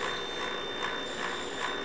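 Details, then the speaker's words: Space Shuttle interim teleprinter (59 lb TTY) being revived after a new motor was fitted: steady high motor whine with ratchet-like clicking about 2.5 times a second; drum not turning, motor straining, mechanical jam suspected. "um so it seems that this might be stuck um turn it on yes trying to do something but then it's definitely hitting"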